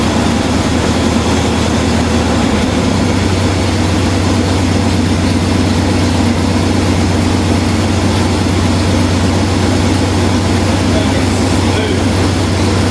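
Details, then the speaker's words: 1969 Pontiac GTO V8, revived after years of storage with new points, distributor cap, rotor, plugs, fresh gas and Seafoam: smooth, steady idle with no knocks or misses, recorded in an enclosed space. "poured some fresh gas in her and a little bit of seafoam, and she's running smooth like a dream."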